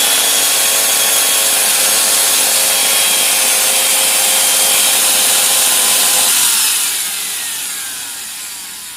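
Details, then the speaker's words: Maktec MT90 angle grinder runs with a rough, harsh, heavy growl over its high whine, then winds down; carbon brushes were replaced too late, wearing the armature uneven; fix is fitting a new armature. "suaranya Nah jadi suaranya agak e ngorok terus agak berat juga jadi ini dikarenakan Saya meng ee telat mengganti karbon brush jadi merusak si armatur itu jadi Ee tidak rata ya"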